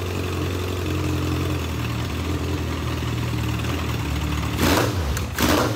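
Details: Legends race car, new motor swap on first start-up: low, lumpy idle that hunts unevenly, then a couple of sharp blips. The carburetor is badly flooding with fuel on a system meant for a two-pound pump; the carb will be pulled off.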